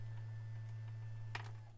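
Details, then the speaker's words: 2022 Tesla Model Y Long Range, dual electric motor: powered steering column adjusted via the left steering-wheel dial, steady low motor hum with faint irregular creaks and ticks, then stops; column adjuster creaks while moving, which doesn't sound good. "¿Oyes esos crujidos? No suena bien."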